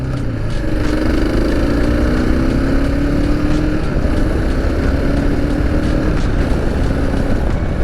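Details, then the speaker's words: Gen 2 KLR650 with SW Motech skid plate after fixing its vibration buzz, accelerating through 3500-3700 rpm and cruising on highway: steady single-cylinder drone under wind noise, no buzz or rattle; fix works. "now we should hear something on the takeoff as we creep into that 35 to 3700 rpm range nothing nothing so far so good"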